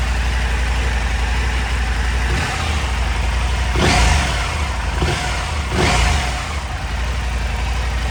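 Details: KTM 890 Adventure R cold, after fitting Dirt Tricks timing chain tensioner and FuelX Lite fuel tuner; steady idle, clean pickup on quick blips, no loose cam-chain rattle; normal cold start idle.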